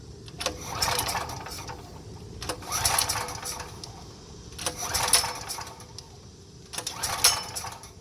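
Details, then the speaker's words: Power Mate 5000W (6250 surge) generator, sat unused for years, fresh gasoline and fuel valve open: four recoil pulls, brief rasping spins, never fires; suspected fuel problem, carburetor cleaner next. "All right, so that's not gonna go. So what we're gonna do is a little gum out carburetor cleaner."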